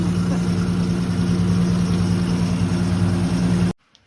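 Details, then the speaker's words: 1950 Dodge B2B truck flathead engine, parked since 1978, running on new fuel hoses, filtered gas and working fuel pump; steady, even low idle, smooth rumble with no misses or knocks: normal idle. "This thing is running amazing. Listen to that. That is the best yet. Unreal."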